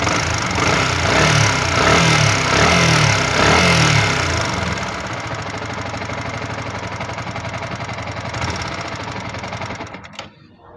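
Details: Yamaha R15 V3 motorcycle running with a fast, light ticking on top; suspected valve tappet noise.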